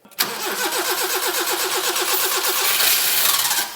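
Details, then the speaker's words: Barn-find Subaru Brumby ute sitting unused a long time, no fuel, in neutral: quick chattering crank, then it fires on starting spray into a ragged rev and dies; engine not sick, though it will still be replaced. "that was spray that was with some spray ready it might go okay here we go three two yeah yeah dude that's cools that's awesome I mean it means the engine's not sick"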